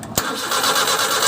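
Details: Suzuki F6A 12-valve engine: a brief burst of starter cranking, the engine spinning but never catching; cranks but won't start.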